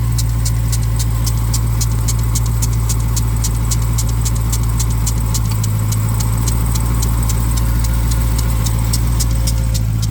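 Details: 2021 Dodge Durango Hellcat at cold idle: light, sharp ticking about three beats per second from the worn lower serpentine (accessory) belt tensioner bearing; replacing the tensioner corrected the noise.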